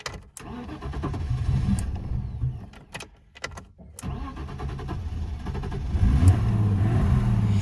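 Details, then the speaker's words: BMW E30 324iT, M20 B20 stroked to B24, turbocharged, cold start: several clunky crank attempts with stumbles before catching, then lumpy cold idle held only with throttle; ongoing starting problems. "ouais faut que j'ai encore des problèmes de démarrage j'ai fait genre un kilomètre là pour pour venir jusqu'ici donc elle a pu six fois que ça et genre quand je démarre il faut que j'actionne un petit peu le faut que j'actionne tu as le terme faut que j'accélère un petit peu"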